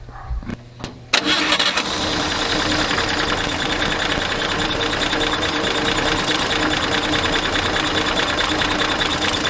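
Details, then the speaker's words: Jeep engine after rebuild and reassembly, first start with 4 litres of oil (dipstick at minimum), cover gasket replaced: short crank, catches within a second, steady even idle with no knock or miss; smoother and quieter than before. "Bom, o que eu percebi, não sei se você vai concordar comigo, o motor com certeza tá mais suave de funcionamento. Tá bem mais silencioso, me parece."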